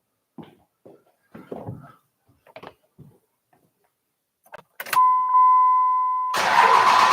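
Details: Freshly reinstalled 5.9 Cummins diesel in a truck, start after tightening transmission lines, no antifreeze in it yet: a steady whir for over a second, then it catches with a solid roar and holds an even run. Healthy start and idle.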